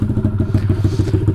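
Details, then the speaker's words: Taotao DB17 125 dirt bike after a cheap aftermarket carburetor upgrade (replacing the tamper-proof carb) and a new throttle cable. Idle was a bit high and has been turned down, choke off, exhaust hot. Even, steady single-cylinder thumping with no misses: a pretty good, normal idle. "so let me take it down a little bit okay that's good that sounds like a pretty good idle"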